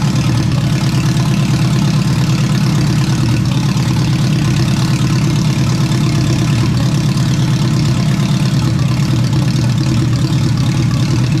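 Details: Rebuilt engine in a turbo AWD wagon after a restart holds a deep, steady idle with an even low rumble and no knocks, ticks or hunting, sounding better than the previous engine; normal idle.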